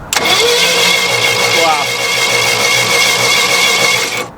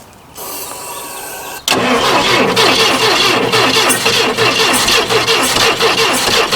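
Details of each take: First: 1980s Yale/Eaton 6,000 lb forklift, points ignition, sat eight years, plugs just reinstalled and no coil fitted: steady, even cranking rhythm, each compression stroke alike; healthy cranking, compression appears even, engine possibly brand new. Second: 1980s Yale/Eaton 6,000 lb forklift, sat eight years, plug wires fitted ignoring firing order: quiet lead-in, then loud rhythmic cranking chug that never catches; cranks but won't start.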